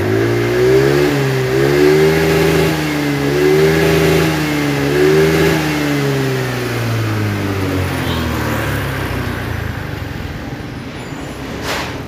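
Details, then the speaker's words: Honda Vario carburetor scooter, hard to start from cold: after throttle the revs surge up and down, then sag and the engine stalls instead of idling, with black smoke; carburetor setting suspected. "nah iki no loh mati DW lonjak-lonjak kemudian mati sendiri ya itu dari karburator"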